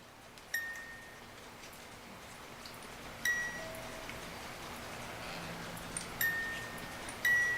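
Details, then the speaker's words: 1950s Reuge singing-bird ballerina alarm clock music box, sealed movement: ticking, with only a few lone, widely spaced chime notes irregularly instead of a tune; the movement is dragging and struggling. "and now it's ticking and it sounds like it's trying to play the"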